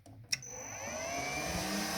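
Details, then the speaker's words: Three-phase motor of a vehicle lift, fed from 220 V domestic supply through a frequency inverter and started with its Run button: click, then steady hum with even high whine, no knocks; lift rises. Normal motor run. "on voit que ça monte et on voit que si je rappuie, le bruit s'arrête et évidemment le pont s'arrêtait."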